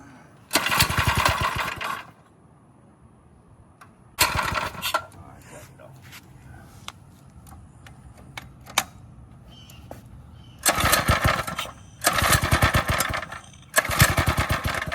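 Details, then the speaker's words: Drift quad engine just fitted with a Nibbi carburetor, flooded: repeated short pull-start cranks with brief coughing catches that never settle into a run. "I flooded it."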